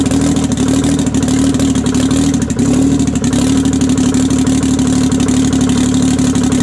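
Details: 1968 Detroit Diesel 3-53T after total overhaul, stone cold first run (engine about 4.5°C/40°F, outside -3°C): busy, even, rapid idle beat with steady hum, no knocks or misfires; good oil pressure, no leaks; healthy.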